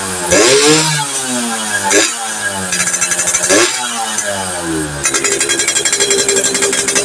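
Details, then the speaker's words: Yamaha FIZ R two-stroke with standard plug fitted, after checks for a lower-end compression leak and the coil: revs rise and fall unevenly with sharp pops and stumbles; still explodes on throttle, and the pulser is suspected next. "[Musik] seperti itu penyakitnya masih belum normal jadi ini tersangka keduanya kayaknya ini pulsernya masih belum sembuh"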